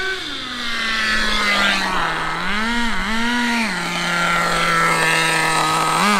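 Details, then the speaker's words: HSP nitro rally RC car with a two-speed gearbox, after carburetor fix and before adjusting the shift spring tension: small engine revs up and holds a high scream with no drop in revs; never shifts into second gear. "i do not hear it shifting at all it's not"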